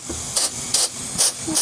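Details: Mazda 3 automatic transmission on the bench, band servo air-checked with shop air: about four short, even hisses in two seconds, each cut off cleanly; band applies as it should despite slight smoking and delamination.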